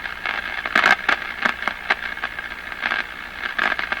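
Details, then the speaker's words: Crosley 43FB tube farm radio, first power-up after 50 years, B+ being raised while watching the meter: sharp, irregular crackling and crashing static with no steady signal. It is noisy, and the cause has not been found. "I hear it. By glory gosh, it sounds like a radio. A little much on the crashing."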